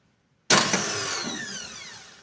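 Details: A sharp high whir bursts in, then spins down over two seconds with no engine catching during repeated start attempts; the starter is suspected.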